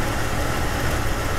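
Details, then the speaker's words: 1999 Jeep Cherokee with an aftermarket crank sensor, before swapping to a Mopar one, warm idle: rough, lumpy, stumbling beat, misfires shaking the laptop; misfire and intermittent stalling traced to the faulty crankshaft position sensor. "right now the laptop is shaking because of all the misfires so I'm gonna let this settle for a little bit and we can get back to it"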